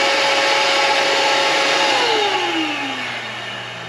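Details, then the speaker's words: Dyson DC78 Ball vacuum that had made weird noises and blown dust out the back, tested after cleaning and reassembly: smooth steady high whine, then an even pitch drop as the motor coasts down, with no grinding or rattle. "so that seems to be working really well there"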